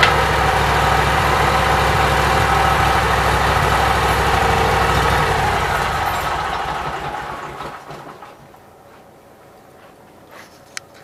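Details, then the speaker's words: Briggs & Stratton Vanguard small engine with Briggs carburetor, cold after only 5–10 minutes total run time, tested after rewiring; even, regular firing at steady pitch, then winds down and stops; runs fine, everything working. "So boys, I'm tickled pink. Everything seems like it's working. I have no complaints. Runs pretty good."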